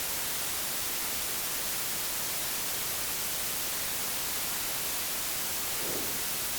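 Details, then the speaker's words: AC-2EX intercom connected through a 9er Systems USB interface for headphone recording: constant loud hiss with no machine sound; high noise floor appears once the intercom is plugged in, cause unknown. "And now as soon as I plug in, the phone, crazy noise floor. Not really sure why. And you can just hear it, right?"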